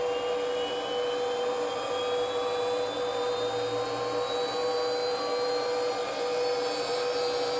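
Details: First run of a new 110 V 1.5 kW water-cooled 65 mm spindle on a Huanyang inverter, cooling not hooked up, settings untouched: steady high whine with faint tones creeping upward, smooth, no grinding; normal.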